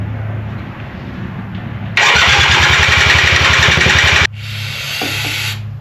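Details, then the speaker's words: Polaris ATV, possibly a 250, being revived: starter grinds the engine over about four beats a second for two seconds, never catches; hard starting, owner suspects spark plug, carburetor cleaning considered. "It's looking like a new spark plug might be in our future cuz I can't get smoked out too much more."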